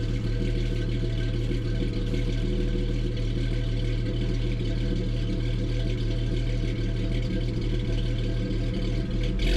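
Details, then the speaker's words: 1988 Jeep Comanche off-road build, inline six with custom side-exit exhaust: deep, even burble at idle with a smooth steady beat, often mistaken for a V8; running healthy. "I think it has a nice idle sound confuses some people every now and then because they think there's a V8 here when it's just the inline six"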